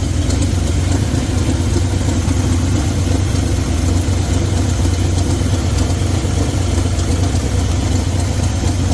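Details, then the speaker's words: 1972 Chevy C20 V8 with HEI ignition, after cleaning a misfiring plug and regapping from .035 to .045: deep, steady idle with even rumble, no stumble or miss, much smoother; compression seems slightly low. "That gap made a bit of a difference. Uh she definitely seems a little bit on the low side for compression, but she's definitely running a lot smoother than she was"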